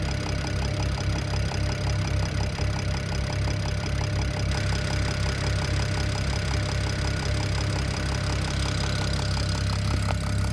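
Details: BMW E92 335i N54 engine at idle: steady rapid ticking knock about three or four a second over a smooth idle; owner suspects top end, cause unconfirmed.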